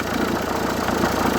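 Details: Renault 1.5 dCi K9K diesel at idle: steady idle with fast, busy chatter and rattle on top, traced to worn idler/tensioner pulley, replaced with new pulleys.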